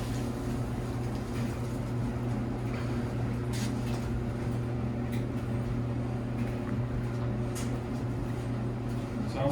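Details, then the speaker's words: Samsung dryer running on heavy duty after heating coil work: steady low hum with even tumbling rumble, no scraping or squeal; dryer works normally. "Sounds like it works."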